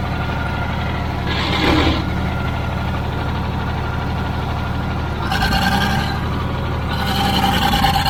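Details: Old Caterpillar D6 dozer diesel (Darlington, FL) running at about half throttle: deep steady throb at part throttle, even firing with some clatter and hiss on top; runs pretty good, normal running.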